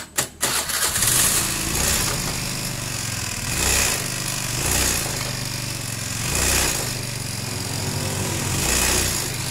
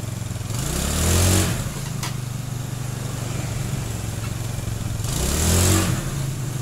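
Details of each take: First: Honda Beat scooter judders on take-off, revs surging and sagging unevenly every second or two; suspected CVT clutch fault such as worn or hard clutch shoes, worn clutch housing, loose spring or loose pulley nut. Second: Honda Beat scooter (carb/injection) after fixing shudder when pulling away caused by uneven clutch lining: steady idle with two smooth even revs, no shudder or chatter on pickup; clutch engages normally.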